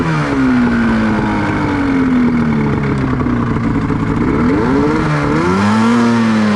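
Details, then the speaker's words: 1989 Honda Pilot with swapped Ski-Doo 670 snowmobile two-stroke, driving in sand: rough wavering drone bogging under load, feeling like one cylinder; owner suspects it loaded up and fouled a plug. "This thing's definitely feels like it's only running on one cylinder."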